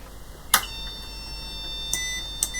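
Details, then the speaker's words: Olympia ESW 100-KSR typewriter terminal under power-supply repair: a steady high-pitched beep holds unbroken after switch-on with a couple of relay clicks; fault tone persists, unit not starting properly, current consumption risen; cause not yet confirmed. "and as expected we're getting the tone again current consumption has risen it's quite a lot higher than it was"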